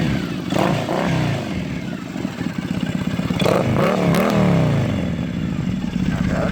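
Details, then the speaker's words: Triumph Thruxton 900 after exhaust wrap and EMGO pipes were fitted: twin burbles at idle, rising cleanly on a couple of blips and settling back without rasp or popping, much quieter; normal exhaust note. "much quieter all that sounds so much better"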